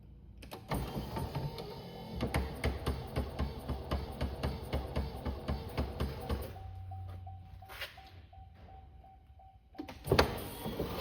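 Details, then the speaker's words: Chevrolet Corvette C4 after the driver side headlight motor drive rebuild: passenger side pop-up headlight motor keeps clicking about twice a second after opening due to its worn drive. The rebuilt side stops once open, as it should. "Okay, you can see and hear the passenger side clicking, but as you've seen over here, this one is, as soon as it opens, it stops, and that's what it's supposed to do."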